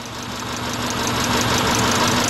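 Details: 2000 Subaru Impreza Outback 2.2 with a misfire despite new plugs and wires, where a burnt valve is suspected but not confirmed: a steady idle with an uneven, lumpy pulse and faint irregular knocking; rough idle.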